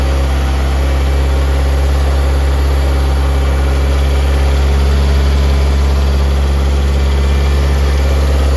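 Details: Honda K20Z1 (Type S) swapped into a Mitsubishi Eclipse, first crank and first start with ECU newly wired and two check engine lights (IAT, O2 sensors): steady deep drone with an even beat and no misses, idle slightly high; coolant not yet added.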